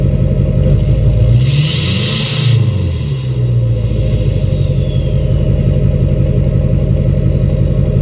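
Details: 2006 Chevy Silverado LBZ Duramax diesel, revved in neutral with new 5-inch straight pipe, flow-through muffler and DSP5 tune; deep steady rumble swells on quick rev, faint falling whistle trailing; normal turbo spool.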